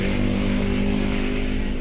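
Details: Suzuki Swift M16 after throttle body cleaning and idle reset (idle had dropped to about 500–600 rpm with vibration, especially with AC): firm, even, raised steady idle, no dips or shaking; normal idle.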